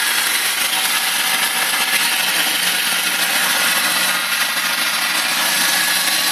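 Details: BMW 318i with M43 engine at steady idle: a hissy, ticking clatter rides high over the engine, even and unchanging; strange top-end noise of unknown cause.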